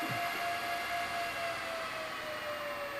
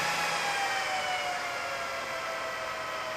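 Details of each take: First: BLF188XR LDMOS amplifier with a Meanwell RSP power supply: its internal fans roar flat out at full speed like a jet engine, steady loud rushing air with a faint tone; loud cooling fans at full speed. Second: Meanwell RSP power supply fans inside a BLF188XR LDMOS amplifier, previously jet-loud, turned down to a low speed: smooth, even fan rush falling in pitch and getting quieter; normal fan running at reduced speed.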